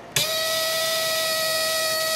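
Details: ELENCO Snap Circuits project 344 half wave rectifier (II), center tap, LED lit, about 6-7 mA: steady high buzzing squeal starts abruptly, even pitch near 600 Hz, from the relay oscillating; normal.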